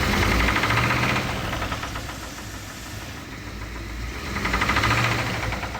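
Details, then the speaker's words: 1995 Ford F-150 V8 driving through town: a steady deep knock about four times a second that grows louder as revs rise. This is rod knock that began on a road trip about a year earlier. "And about a year ago, it got a slight rod knock on a road trip back from North Carolina."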